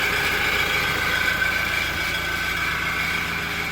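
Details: Toyota Innova Reborn exhaust at idle during warm-up: fast, light cricket-like chirping, about three to four per second. It appears once temperature rises and RPM drops, apparently not from the engine bay. Cause is an exhaust gasket leak.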